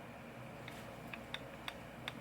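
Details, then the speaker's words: 1976 Canon FD 28-50mm f/3.5 zoom lens on a Canon M50 Mark II: faint sharp clicks as the focusing ring is rocked back and forth. This is backlash from play in the focus mechanism on a possibly heavily used lens. "hear that clicking noise that's the backlash so you got to keep that in mind"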